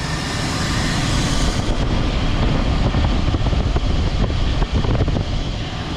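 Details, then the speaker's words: Jeep WJ 4.7 V8 running after a junkyard idler/tensioner pulley and a new power steering pump were fitted: an even engine run under wind and road rush, with no belt squeal or chirp. The squeal is gone, though it is unclear which part cured it. "So she's running good now."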